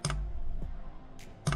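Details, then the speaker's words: Cheap Chinese 2 kW diesel heater for a Land Rover Discovery LR3 rooftop tent, run from a 220-to-12 V supply, drawing 145 W in startup mode at level three: two sharp ticks over a low hum, the fuel pump metering normally during startup. "it actually draws 145 watts in startup mode so that's huge now you hear this thing clicking"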